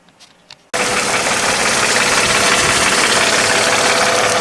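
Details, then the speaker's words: Mercedes with M112 engine, ticking at idle both cold and warm, louder over time and clearest in gear; fast idle with sharp tapping three or four per second. Owner suspects a hydraulic lifter, not yet confirmed. "Теперь включим передачу. Там это теперь отчетливо слышно. В общем, судя по всем наблюдениям, я считаю, что это всё-таки стук гидравлического толкателя."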